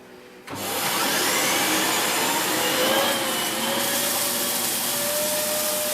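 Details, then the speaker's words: Dyson Big Ball Animal (CY23) cylinder vacuum, about three months old, running. A thin whistling squeal rises then holds over the vacuum roar: air leaking through a hose joint. "You hear that squealing noise again now? That's basically the joint here leaking."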